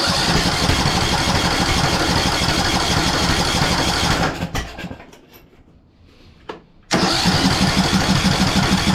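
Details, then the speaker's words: 2014 Ariens (Husqvarna) 42-inch riding mower, first start with replacement flywheel: rough lumpy running about three firings a second, cuts out, sharp backfire pops; ignition timing off from flywheel keyway mismatch, owner first wondered about fuel or stuck valve. "fuel this thing he's backfiring like crazy so let me guess we got a stuck valve too or what"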